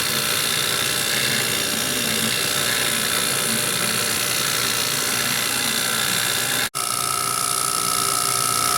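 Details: JB vacuum pump pulling down a refrigeration system that had water in the lines. Steady hissy drone with no knocks or grinding; the pump runs healthy, and its oil came out milky, probably with water vapour, and was changed.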